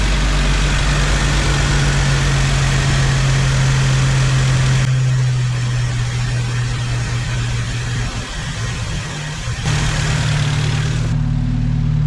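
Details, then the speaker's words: 1995 Jeep Wrangler YJ four-cylinder after 4-hole Ford 19lb injector upgrade, started for a heat cycle while checking fuel leaks: steady, even low rumble with no misses, stumbles or ticking; owner thinks it idles smoother than ever. "maybe it's just snake oil, or I don't know, but I think it's idling smoother than it ever has, which tells me that this might have been a spot-on adjustment."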